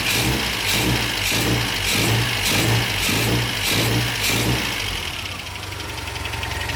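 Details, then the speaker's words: MGB after restoration, idling on the new exhaust while the header heat wrap burns off: a steady idle with an even low pulse just under two beats a second. Runs beautifully, just as before. "okay that is a major success the car is running beautifully and as far as i can tell it idles perfectly it sounds very very normal"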